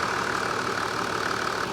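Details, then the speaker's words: 80 series Toyota Landcruiser: even, steady idle hum with faint constant tone, no belt squeal, chirp or knock; mechanic judges engine running true and happy, though fuel smell noted at exhaust. "Yeah. Fine. Everything there's happy. Not even a sound. >> A good. Yeah. Everything's running true."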